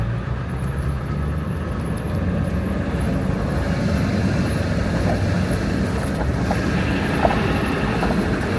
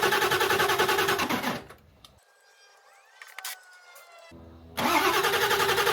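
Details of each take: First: 2001 Ford F-350 Power Stroke diesel (truck had rolled over) driving after finally starting; steady, even diesel drone with road rumble, no knocks or misses: normal engine running under load, runs pretty good. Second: 2001 Ford F-350 Power Stroke diesel that had rolled over, being readied for a 1967 M715 body swap: fast, even cranking stops and resumes but never catches. Running on two jump packs that are losing power. Dirty fuel was present in the tank.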